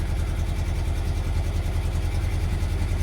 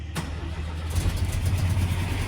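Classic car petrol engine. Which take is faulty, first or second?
first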